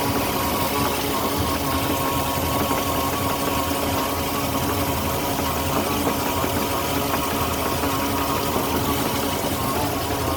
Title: 2008 Moomba Indmar 5.7 motor whining sound